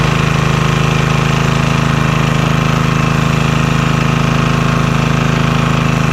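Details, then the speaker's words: Vintage Homelite generator, probably late 1970s, unused about 30 years, restarted with little work: steady, even low thrum at constant speed, quiet, no misses or knocks; normal running. "Oh, that sounds good. It's nice and quiet too."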